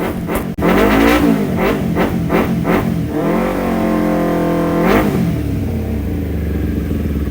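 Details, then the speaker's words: Kawasaki Ninja 250 after carburetor repair for stumbling, hesitation on throttle and high fuel use: revs climb and drop cleanly with a smooth, even rise in pitch and no stumbling. Smooth acceleration. "Dan setelah proses yang panjang, akhirnya kita menemukan untuk akselerasi yang pas."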